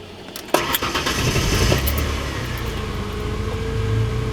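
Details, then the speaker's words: Car that previously gave rapid clicking and wouldn't start, after replacing the battery terminals and making a new battery connection: brisk crank catches at once and settles into a smooth, even idle with no clicking. "Well, there we go. Car turns on and works fine."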